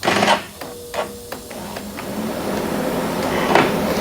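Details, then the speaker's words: 2023 KTM 300XC TBI two-stroke, after the starter bendix and bushings were replaced following a breakdown in a race, start attempt: a few quick clicks and a brief whirr, engine does not crank; owner fears the starter was killed and will check battery voltage. "it may have killed the starter"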